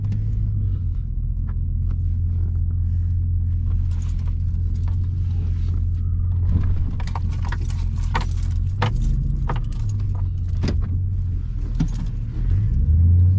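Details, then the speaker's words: 2002-2005 Dodge Ram 1500 heard in the cab on a test drive after front wheel hub replacement: steady, even low road rumble with no hum or growl, a quiet ride with healthy hubs. "well there we go the wheel hubs are replaced and I have a quiet ride again"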